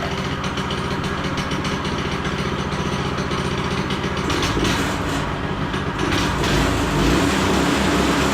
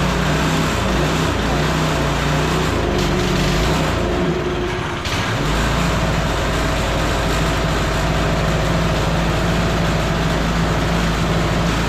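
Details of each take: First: Child-size go-kart single-cylinder engine, sat for years, after new carb, new throttle cable and fixing overstretched throttle return spring, probably warm: steady even chugging, picking up slightly at end; settles and idles normally. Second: Long-sitting go-kart engine (clone type) with new carb and throttle cable: holds a fast, steady speed and won't drop to idle unless the governor is held down; high idle blamed on the governor; clutch also sounds a bit noisy.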